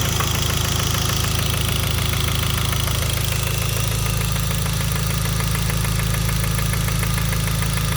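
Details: Hyundai Genesis 2.0T at idle: steady deep knock about four per second under the engine note, rod knock from a spun bearing after a poorly manufactured oil pump starved lubrication; oil pressure light and knock sensor gave no warning.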